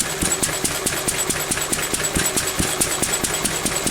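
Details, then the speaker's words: Pre-electronic engine after weakening an over-rich mixture to around 17:1; slow, slightly uneven hollow chuffing a little over two a second, idle mixture still weak, so it is being richened. "I've So that's still a little bit too weak, look. So we're ripping it a bit more."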